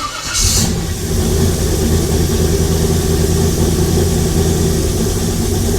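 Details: LS-swapped 1956 Chevy, first start after chasing problems: brief crank, then a steady, even low idle rumble; gauge then shows low oil pressure (owner hopes bad sensor) and a noise suspected as torque converter hitting the ring gear; normal start and idle.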